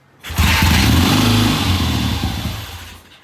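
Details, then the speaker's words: 1970 Triumph motorcycle with hard starting, first start with no throttle and no choke, idle screw out one turn: it fires after a brief crank and runs unevenly for a few seconds before dying down; it clearly wants to run. "that ain't bad yeah she wants to run all right why don't you start it up and try to hold the hold the throttle open"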